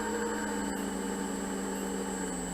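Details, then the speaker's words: Harbor Freight 44142 mill/lathe motor on bench test, converted to 3-phase, at 120 Hz: steady high-pitched whine over motor hum, like bearing failure though both bearings are new; slight tick remains; owner suspects the internal fan. "there's 120 has that like bearing failure wine but both bearings are brand-new haven't been abused there is a fan in here so I'm wondering if that noise is from the fan"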